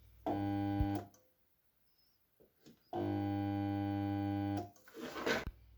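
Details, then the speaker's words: Chinese garden water pump that worked last season, powered up: steady electrical hum in two short bursts with no spin-up; shaft and impeller won't turn, seized. "Насос гудит, но не вращается. Такое впечатление, что вал не может провернуться."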